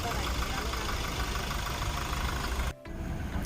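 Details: Toyota Innova diesel, formerly vibrating with no pickup while running on fewer cylinders because of a rat-chewed wire: after the wire was repaired, even clatter at steady idle with no stumble, all cylinders firing cleanly.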